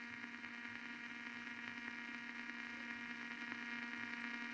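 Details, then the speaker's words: Blaupunkt Arkansas stereo tube radio, warmed up after tuning capacitor repair and ferrite antenna cleaning: only steady hiss with faint hum, louder at one end of band, no stations; owner suspects a short. "actually it's getting louder as I get to this end of the band but it's not picking up anything destroy no way I can hear the hiss it's louder at one end"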